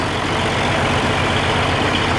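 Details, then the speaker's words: Oliver 1550 diesel tractor after reinstalling rebuilt number six injector: uneven lumpy idle as one cylinder drops out; number six now hot but number one's exhaust port stays cold at the base, so that injector will be pulled. "yeah it's still good and cold down there at the base yeah good Heat at six and work I out I I can't touch number one still cold"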